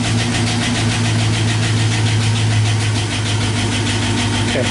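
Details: 2012 Chevy Silverado 5.3L V8 with Active Fuel Management, recent spark plug replacement: at idle, quick light tapping about three per second over the rumble, louder at higher rpm; being diagnosed with ignition waveforms.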